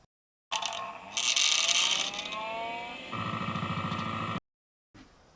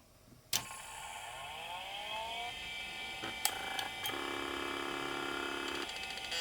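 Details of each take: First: It had something that sounded like a rattle inside. Sounded like a loose part. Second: LaPine Titan 3522 hard drive connected to a 386: click at power-on, then rising whine as platters spin up into a steady hum; clean startup, no actuator chatter.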